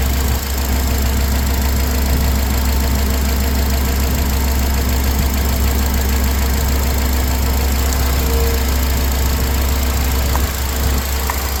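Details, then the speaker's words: 2004 Honda Accord after replacing the failed ignition coil that caused rough running and no-start: low steady hum with no stumble or dropped beats; check engine light out, smooth idle, slight hesitation noted. "Seems smoother. See what the check engine light got to say. Check engine light is out. Little hesitation. She nice and smooth now."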